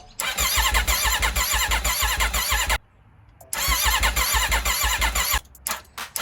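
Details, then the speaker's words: Rebuilt wrecked 2021 Aprilia RSV4 V4 on a chilly day, full battery, in neutral: fast, even starter churning with compression pulses that never catches. Fuel pressure check planned. Crank no start. "I don't know why it's not starting though let's try cranking it one more time before we bring it back in the garage and check fuel pressure"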